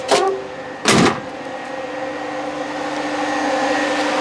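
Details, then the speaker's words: 1968 Mustang with an Alloyworks aluminum radiator and its original electric fans, switched on manually with the car stationary: a loud switch-on thump, then a steady airy fan roar with a faint hum. The rhythmic vibration felt in the car hasn't shown yet; new fans later fixed it. "you can hear it now a little bit more like it's a rhythmic thing like you hear this and you'll feel it you actually feel it in the car"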